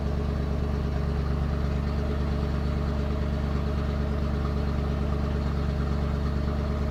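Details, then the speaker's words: 1991 Ford F250, rebuilt 351 Windsor V8 converted from EFI to carb, freshly started and warming: low, heavy uneven idle that wavers and wants to die; rough idle, owner suspects missing, idle screw to be adjusted. "All right, doesn't really want to idle. I'm going to I'm going to I'm going to kick her off and then adjust that idle screw."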